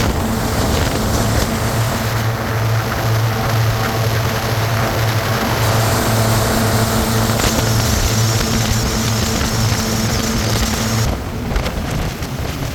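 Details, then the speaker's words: 1996 Sea-Doo Speedster twin-engine boat on the water after MPEM module deleted and rewired without it; steady, even two-stroke drone with constant low hum, no misfires or stumbles; normal running. "And as expected, everything works just beautiful. I don't think I could ask this boat to run any better than what it does."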